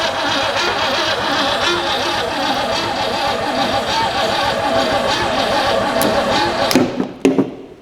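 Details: 1962 Mercury abandoned 30 years, key bypassed with a push button wired to a weak battery: a steady fast cranking whirr runs on about seven seconds after release before winding down; starter won't disengage, suspected sticking solenoid.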